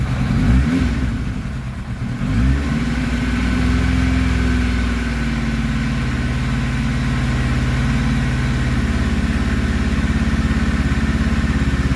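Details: 1991 Kawasaki ZXR750 with twin Toyota Supra turbos, first runs after the rebuild: a lumpy, uneven idle with stumbling beats and a surge; the plugs came out super black, running rich, suspected from wrongly placed crank trigger points.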